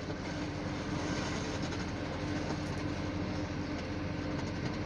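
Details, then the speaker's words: Euro 4 truck with idling diesel: steady mid-pitched hum that stays the same when revved, not following engine rpm; it comes from the audio system speakers, not an engine fault. "ada bengungnya. Kita coba gas. Bengungnya enggak mengikuti RPM mesin. Bengbengungnya itu masih sama ya."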